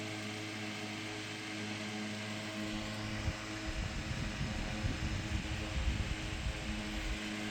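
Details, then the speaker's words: Restored c.1920 Frigid VA-1 10-inch fan on low speed, commutator recently resurfaced and new brushes fitted, still needs break-in running; even low hum, steady tone, no ticking or scraping; very smooth, normal running. "I haven't run it much since uh resurfacing the commutator and getting the new brushes and all that so I probably need to actually run it a while to break it in but it is a very smooth run"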